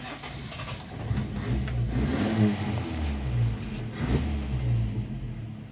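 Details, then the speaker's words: Toyota Kijang 7K carburetted engine after carburetor disassembly and cleaning, which previously stalled intermittently at idle: catches and holds a fast, steady idle with gentle rises, no stumbling or dying; idle now normal though set too high. "Nah teman-teman, mesin sudah kembali normal. Ini sudah tidak mati-mati."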